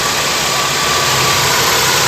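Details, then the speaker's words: Gen 2 Toyota Corolla twincam liftback, just started cold, idle steady at 800 rpm: even idle with no valve ticking or misses; engine judged still healthy. "jadi saya rasa ini mesin bener-bener masih sehat"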